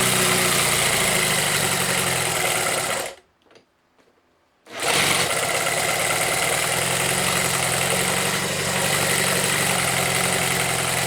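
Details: Homemade four-cylinder CD125four engine (Honda Monkey converted, ver1.1), indoor start test with reduced mic level after sealing gaskets against blow-by: busy, even idle, steady beat, no knocks or rattles, one brief dropout; normal idle.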